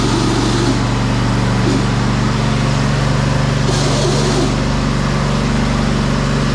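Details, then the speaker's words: John Deere LT190 riding mower, deck down: steady engine under harsh metal-on-metal scraping flaring every couple of seconds; stripped transmission input pulley spline on shaft, often mistaken for stuck brake; fixed by replacing pulley. "so you can hear that metal on metal noise it kind of almost sounds like the brake is stuck or something so a lot of people mix that up with that"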